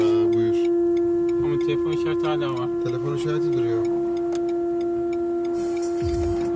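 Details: Renault Kadjar Icon 1.5 EDC with R-Link 2.0: loud steady buzzing hum from the rear speakers, continuing with the engine stopped; stopped after long-press restart of the multimedia system, after which the rear camera failed until the car was locked and shut down.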